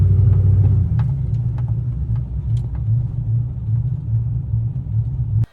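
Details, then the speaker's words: Chevrolet Silverado with 6-inch lift, after wheel hub replacement which did not fix it: steady low droning rumble under the truck while cruising, no clear knock; owner suspects front differential, not confirmed. "Something's starting to lead me to more towards the front diff at this point."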